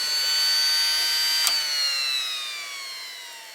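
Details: Vintage Air heat/AC blower motor that had seized, fixed by cleaning and lock graphite on the bushings, plugged into the truck and switched on: clean high electric whine slowly falling in pitch, no grinding. Spins freely, normal.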